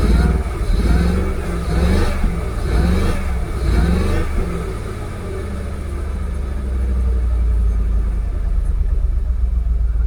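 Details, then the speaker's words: Jaguar XKR (X100) after a genuine Denso coil pack swap on bank 1, pending multiple-misfire codes and restricted performance: uneven, stumbling revs under throttle blips, sagging and nearly stalling between them; misfire cause not confirmed. "let's see if we'll read um fault codes while the engine's still running M multiple sisire multiple multiple misfire oh no restricted performance is gone again so they're pending codes pending"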